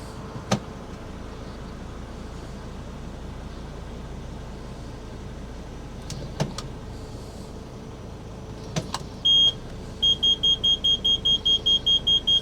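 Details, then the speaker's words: Parking sensors beeping in reverse, a steady train of short high beeps over a quiet idle, on a P2 Volvo V70 with AW55-51SN automatic gearbox during repeated sump-dump fluid changes after Lucas Stop Slip made it worse. "Yes, I do have the world's most annoying parking sensors."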